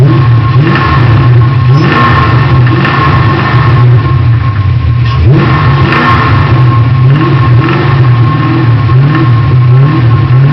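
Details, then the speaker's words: Mustang engine: a heavy engine note rising and falling with revs, with a rough pulsing underneath that appears when accelerating; owner suspects a spinning rod bearing but is unsure, a possible bottom-end knock. "when I accelerate that's when I'm starting to get the noise sound like a a rod bearing spinning or I'm not sure"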